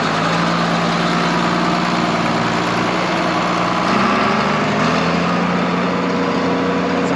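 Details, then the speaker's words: John Deere 4430 tractor revived after 22 years, apparently rebuilt or reman engine; even, steady low diesel idle with no knocks or misses, a really good sound; steering hard, some leak around the motor. "good the motor has paint on it like it has been rebuilt or it's a remand motor so mean that's a really good sound in 4430"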